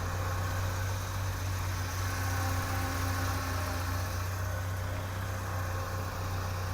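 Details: 1984 Toyota Hilux 4x4 carburetted engine after new spark plugs and fuel filter, warming up: smooth steady idle with even low rumble, no misses or shutdown; previously stalled at idle and backfired on throttle stabs.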